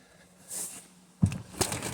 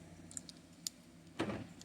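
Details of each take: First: 2013 BMW X5 (E70) with door locks acting up, tested beside the door with a newly generated key: quiet, then crisp actuator clunks as it locks and unlocks on command; normal central locking, key confirmed working. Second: 2013 BMW E70 X5: a few sharp lock clicks and short actuator thunks with no one touching the car, driver's side only; door locks cycling on their own due to a faulty key.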